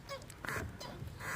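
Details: Clutch pedal squeaks, three creaky duck-like sounds on pressing, from dust on the dry clutch master cylinder pushrod and return spring at the pedal base; fixed by spraying lubricant and greasing the pushrod and spring.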